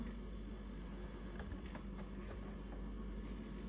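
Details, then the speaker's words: Refrigerator that buzzed intermittently, after fiddling with the box on top of the rear compressor motor: the bad noise has stopped, leaving a steady low compressor hum with no buzzing or rattle. "Evet aynen aynen ses sanki bayağı bayağı azaldı şu an motorun sesi geliyor Sanırsam diyaloğu baştaki kötü ses kesildi"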